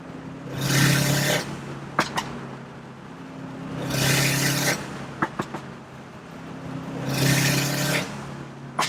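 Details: Subaru STI after the external wastegate exhaust leak repair (new EWG up-pipe and gaskets), with the blow-off valve trumpet missing: three clean revs, each ending in a sharp whooshing vent and a couple of pops; it boosts and the blow-off valve vents properly.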